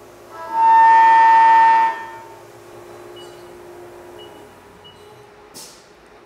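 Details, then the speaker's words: CNC mill chatter demonstration, first cutting test after a tool change with coolant aimed at the tool: a loud, steady, piercing tone for over a second from an unstable cut. "so the cut we heard there was unstable that was chatter we'll next complete a stable cut and you will hear the difference"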